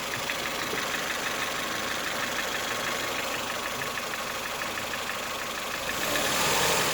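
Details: 2008 Ford Fiesta 1.4 petrol held at 1000-1200 rpm: light, regular ticking knock about three times a second at idle, smoothing with higher revs and returning as revs fall to idle; cause unclear.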